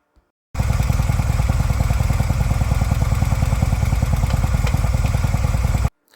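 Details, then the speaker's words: A 2016 Harley-Davidson Ultra Limited V-twin idles with a lumpy beat and a light, steady clicking. It seemed to come from the primary but was the 6-speed transmission: a broken gear securing segment and metal shavings. Fixed by replacing the gear set. "Figured out what the problem was that sounded like it was coming from the primary, so I'm here to show you what it was. Turns out it was the transmission."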